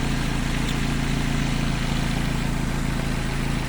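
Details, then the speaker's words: 1991 Nissan Primera P10 1.6 GA16DS carburetted four-cylinder after timing chain repair: steady even idle, smooth low hum, no knocks, ticks or rattles; healthy, though needs warming before driving when cold. "Excellent. Voilà. Donc la petite Nissan Primera se porte bien."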